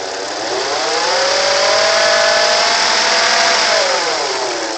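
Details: 1988 Acura Legend: a clear whine climbs and falls with the revs over an otherwise smooth engine; unusual engine whine rising with revs, source unknown.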